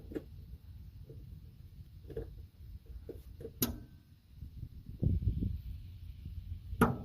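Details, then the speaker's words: 1971 Ford F100 V8 long-sitting revival with a freshly charged battery. Turning the key gives a few faint single clicks a couple of seconds apart and no crank. The starter solenoid fails to engage. "Nothing. Clicks. And nothing happens."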